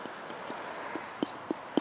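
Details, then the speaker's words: Land Rover 300Tdi non-starter, lift pump removed and Delphi test pump fitted: light crisp ticks about every quarter second with no hesitation or rattle; the test pump runs properly, so the removed pump is faulty, broken inside. "You can hear it running. That's good."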